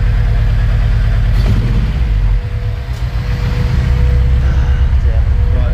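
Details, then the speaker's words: Honda Civic EG6 idling after new chip: rumble stumbles unevenly at two to three beats a second with dropped pulses; persistent misfire, distributor suspected, not confirmed. "well change the spark plugs have changed everything on the ignition system and it's still misfiring"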